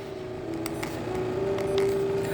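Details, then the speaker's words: EMS.9 PLUS massage chair at switch-on: loud steady droning hum with a shaky, buzzing vibration; controls beep, noise stops after a while; drive belt slipped off. "When you turn it on, there's a loud noise. It is vibrating."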